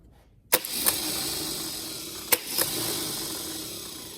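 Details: Starter motor from a Holden FC grey motor, bench-tested after being cleaned of debris that had seized it. A sharp clack as the pinion throws out, a steady high whir, then a second clean engagement; the starter works properly.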